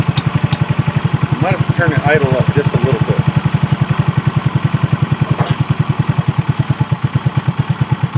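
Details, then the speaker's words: 2018 Trailmaster 150 XRX after carburetor replacement, warming up: steady even putter with no misses or surging; normal idle, new carburetor was the fix for the previously non-running machine. "Well, I might have to play around with it, make sure everything's working smoothly, but all it took was that carburetor."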